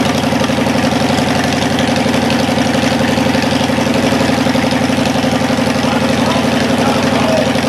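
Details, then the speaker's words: Cadillac 390 V8 after sitting 8 years with coolant added: steady, even cold fast idle, slightly high and not yet tuned, firing regularly with no knocks or misses; runs fine, though the water pump leaks. "well that worked pretty good I mean it idled a little bit high but it was still cold and I haven't really tinkered with it"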